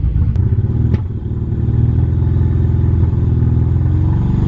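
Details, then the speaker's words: Nissan Cefiro A31 with an RB20, sat unused for a long time, after about half an hour at idle: deep, uneven, lumpy idle that wavers, slightly better than before; compression and leak-down test results aren't great. "But right, so she is ticking over now a little bit better than it was before."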